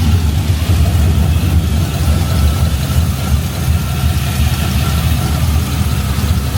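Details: LS engine swapped into a 1988 Ford Bronco with true dual stainless exhaust, first start after the builder assembled it: deep, even idle with a steady low burble and no ticking or knocking on top; healthy idle.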